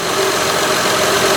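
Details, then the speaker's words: 2006 Honda Odyssey EX-L (RES) V6 idling right after a valve adjustment. Steady, even, smooth idle with a soft hiss and no misses or knocks. Normal idle. "so you can see it's running fairly smooth"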